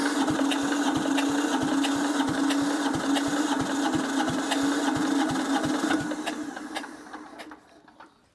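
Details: Abandoned diesel compactor that ran when parked, sitting a couple of years: steady starter whir with even compression thumps near three a second, slowing toward the end; it turns over but never catches.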